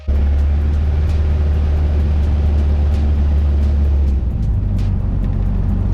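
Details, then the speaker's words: Cessna 172 after carburetor install and oil change, raising rpm while taxiing to check the carb: deep steady propeller drone stepping up smoothly, even and clean: normal engine run-up. "I'm gonna go ahead and use a little rpm here yeah just to test out this just kind of check that carburetor"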